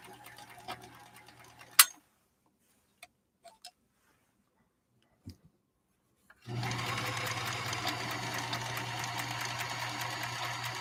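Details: Sewing machine at first run after unboxing: even, smooth whir with steady stitching rhythm, no metal-on-metal clatter or grinding; fairly good condition, though an odor comes from the motor at the rear.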